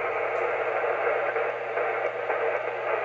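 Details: Heathkit SB-610 monitor scope connected by coax to an FT-857 on the bench: steady even hiss fills the receiver, raising the noise floor and blocking all but very strong signals; interference traced to a faulty tube socket in the scope.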